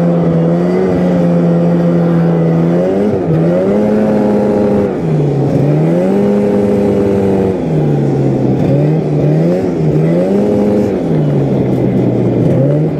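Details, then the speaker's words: Yamaha Phazer 2 snowmobile two-stroke after a broken motor mount cracked the cases, leading to case swap, full engine, carb and clutch rebuild; no longer blows belts. Repeated clean rev-ups and drops, crisp with no bogging; normal running. "so uh a case swap turned into a full engine rebuild which turned into a leaky car bror slash I'm a dumbass and lost the parts but uh we now have a uh phaser that does not blow belts and runs pretty good"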